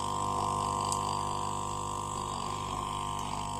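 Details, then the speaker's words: Refrigerator compressor tested directly before gas charging, relay removed, leads swapped after first wiring failed to start it: steady mid-pitched electrical hum, no clicking or labouring; compressor starts and runs normally. "देखिए चल गया compressor. एक minute, ये हिल रही है lead, एक minute. देखिए आवाज आ रही है आपके पास"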